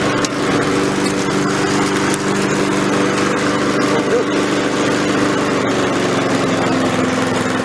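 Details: Repaired Victa mower cutting grass with the deck lowered. The small single-cylinder engine holds a steady high speed under cutting load, smooth and even with no misses or knocks.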